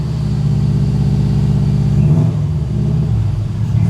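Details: Broken Subaru WRX, unknown when last driven, possibly stale fuel, radiator found empty: chugged then fired, steady deep note climbs cleanly with no misses, knocks or stumbles, no smoke, no radiator bubbles; running healthily.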